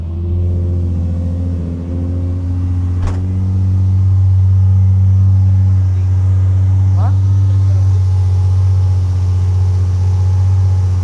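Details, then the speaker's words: 2008 Nissan 350Z HR after installing a Z1 2.5-inch cold air intake and cleaning the throttle bodies: steady deep engine note picking up smoothly with a brief rev, no hiss or misses, loud even from a distance; normal idle and revving. "I think we're good. Oh yeah. Dang, I hear it from here."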